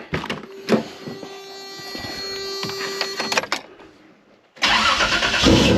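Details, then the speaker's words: Toyota 3.4 L V6 with a newly mounted York air compressor, on its second start: it cranks and catches with a steady belt squeal before cutting out. Changing the idler pulley didn't fix it and the belt came apart. Cause is compressor pulley misalignment. "I thought I had a bad idler pulley. Uh, so I changed it with the one off my other truck. Uh, still didn't fix it, and then the belt came apart. So, ultimately, I have a small alignment problem with the compressor."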